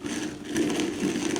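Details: Small BMW with clunking noise: strut top mount bearing turned slowly by hand sounds gritty, crunchy and notchy, dirt inside, apparently previously packed with copper paste; top mount bearing is worn.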